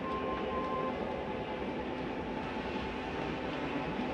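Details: Flagstaff 8528BHSS travel trailer slide-out retracting, heard from inside: steady, even drone with a faint constant whine and no knocks or grinding, plus a normal end-of-travel noise as the slide stops itself; normal slide-out motor operation.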